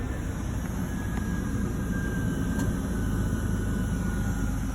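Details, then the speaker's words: 2002 Ford Explorer two-door running after fuel pump repair through a cut access panel: steady low hum with no misses, knocks or hunting; successful repair, normal running. "i would say that's a successful repair guys"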